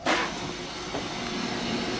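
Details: Water heater with no hot water complaint, power switch had been turned off; switched back on: soft whoosh as burner lights, then steady even flame hiss, no popping or rumble, clean ignition.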